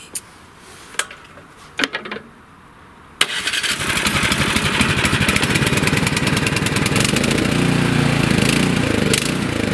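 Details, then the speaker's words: Nearly new 24-inch Troy-Bilt snowblower, sat about 9 months with gas, runs only on choke: surges up and down then dies at idle; uneven running, fix is cleaning carburetor jets with torch tip cleaners. "So it surges up and down and then dies when you want it to idle."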